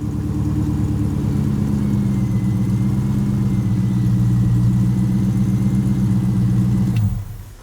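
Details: C8 Corvette-style Grullon with warm-start problem, sat a week, fuel rail bled via Schrader valve to check pressure, then started in neutral: deep steady rumble for about seven seconds before shutoff; normal idle after start.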